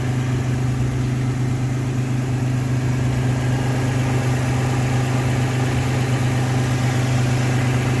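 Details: Toyota 4Runner 5VZ-FE V6 after fitting a new alternator (the old one was bad and the engine was dying): smooth, steady idle with even low hum and no misses, knocks or whine.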